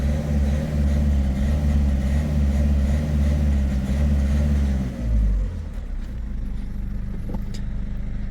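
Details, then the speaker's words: Peugeot 3008 1.6 HDi diesel with engine light, limited power and stumbling on acceleration: pulls then sags near five seconds as power drops out unevenly; codes P0339 crankshaft position sensor intermittent signal and P1113 low rail pressure; crank sensor fault causing misfire. "donc à l'accélération sensé faire des trous ça fait des trous ah voilà donc voilà les symptômes"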